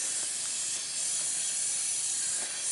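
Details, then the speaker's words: Volvo heavy-duty truck air brake system, heard from outside the vehicle: steady high-pitched hiss of escaping air at a fitting found with leak spray; air brake leak, likely a failed O-ring, fitting to be replaced. "yeah i got out the car and i could hear it"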